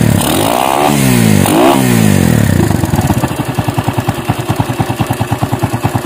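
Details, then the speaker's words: Barako 2 motorcycle with grind cam and chicken pipe, very hard to start. Throttle blips then an idle with a sharp, regular tick at each firing stroke, like valve train noise; cause unconfirmed. Valve train ticking. "Ayun, narinig niyo yung andan niya mga tropa. So may ano talaga siya, may lagatik."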